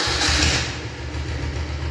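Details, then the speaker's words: Restored Royal Enfield Bullet diesel motorcycle with newly fitted remote start, started by remote: brief burst, then a slow, even single-cylinder diesel thump at idle; clean start, healthy idle. "இப்போ start பண்ணி காட்டினாங்க, வண்டி ஓடிட்டுருக்குது. Beat சவுண்டெல்லாம் கேளுங்க."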